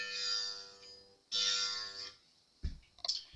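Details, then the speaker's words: Re-fretted Fender Jazz Bass during restring and setup, neck relief not yet adjusted, 30-year-old low nut: plucked low notes with bright buzzing edge, first-fret buzz heard on G string when played aggressively; new nut suspected needed. "that's really I can hear it buzzing up here on the first fret just on the I mean if you really get aggressive not the a not the D the G and"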